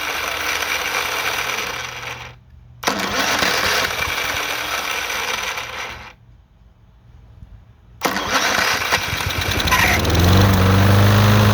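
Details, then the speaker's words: Free push lawnmower that reportedly didn't run, starter freed with penetrant and fuel added: small engine fires, cuts out twice, then runs ragged and uneven; rough running, engine believed to be going out. "now i'm gonna hook up the battery of course it doesn't sound the greatest"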